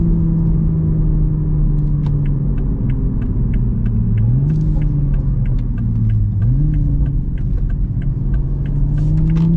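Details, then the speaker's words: 2023 Toyota GR Supra A90, 3.0 L turbo inline-six B58, rear-wheel drive: strong, even six-cylinder growl climbing smoothly through the revs with clean gear changes and light burbles and pops, no misfire or knock; healthy sport exhaust. "you can actually hear a little bit of the burbles from the exhaust man Toyota has just my God Toyota and BMW you knocked it out of the park with this model"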